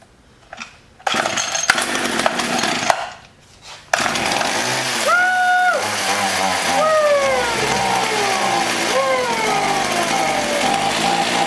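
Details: Echo HC-1600 hedge trimmer, long unused, running after carb work: raspy two-stroke revs up and sags back several times, never crisp at speed; running lean, so the hidden high-speed carb screw needs opening about half a turn, and the idle may need resetting.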